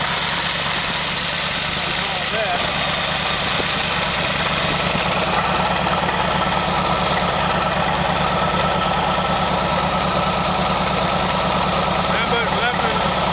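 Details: Very old stock Studebaker 259 V8 with AFB carburetor and new Evans intake, first start, idling about 700 rpm at 18-19 in vacuum: loose, uneven rattle over the engine note, not following firing beat; loose water pump rattling, to be fixed.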